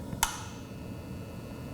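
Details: Trion CB 100 fan-powered humidifier with no water flowing: one sharp click as the coil energizes at about 26 V AC, then only faint background hum with no water hiss; solenoid valve stuck closed.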